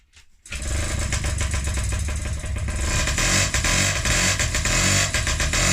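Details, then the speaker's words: Restored Honda QR50 two-stroke, first start after rebuild with new carb, a little petrol, oil not yet added: catches after brief crank, settles into crisp, steady fast buzz; healthy start. "So that's it started. I just put a little bit of petrol in."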